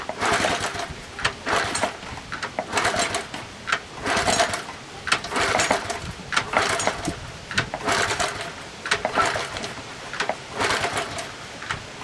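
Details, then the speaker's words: 1984 Honda Z50R after sitting, gas poured down the spark plug hole, clutch feels like it's hanging: repeated kickstart strokes about one per second, engine never catches; cranks but won't start, owner suspects weak spark and plans to file rusty points. "Yeah, it doesn't sound good. Doesn't feel good. Yeah, that was bad news. Half expected it to just start right up, right?"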